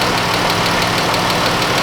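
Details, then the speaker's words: Chrysler 200 with 3.6 engine warming up at idle, being checked for overheating and head gasket failure; fast even ticking louder than normal over steady idle; lifters worn through cam tapping, noisy. "sounds like a typical 3.6. Lifters grind through the cam and they start tapping like this. This one's pretty noisy."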